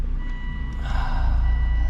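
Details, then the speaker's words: 2005 Volvo S60 R, engine running after gear shifter fork repair for stuck manual mode: steady high electronic tone in bursts over the engine, a door-open warning chime. "It's basically telling me all the doors are open."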